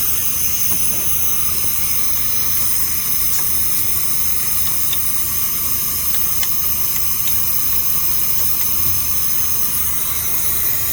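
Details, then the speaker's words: 1987 Freightliner cabover, Big Cam Cummins diesel idling while tanks air up: steady high hiss over the diesel rumble; compressed air leak up front, sounding worse at one particular spot. "Definitely got an air leak up here somewhere. Sounds like it's right here. It's like worse."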